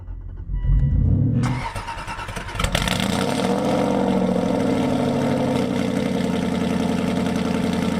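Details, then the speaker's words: Aston Martin V8 Vantage cold start after shop repairs: starter whirrs, V8 fires with loud flare then settles to a fast, even cold idle; not the best cold start sound but not terrible, healthy. "not the best cold start sound in the world but not terrible"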